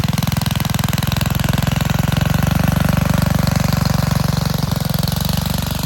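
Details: Vintage Gravely Model L garden tractor with Jenkins overhead-valve conversion, bought at estate auction, running after only cleaning points and adding gas: single cylinder thumping at a steady pace, firing evenly with no misses or stumbling; runs healthy.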